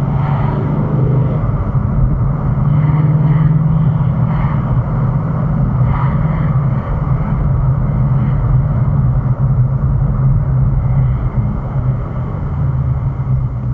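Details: 2018 Ford Mustang Shelby GT350 V8 revving from idle: steady deep drone with faint light rattle between 2,000–3,000 rpm, more apparent when driving and holding throttle; owner suspects piston slap, not exhaust or vibration.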